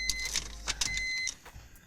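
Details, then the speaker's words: BMW E46 M54 after fuel filter replacement, ignition on to re-prime the fuel line (cycled three times): faint clicks then a thin high whine for about a second that cuts off; fuel pump priming normally. "Alors donc voilà, donc pour réamorcer toute la durite, en fait, bah c'est simple. Hein. Vous mettez le contact."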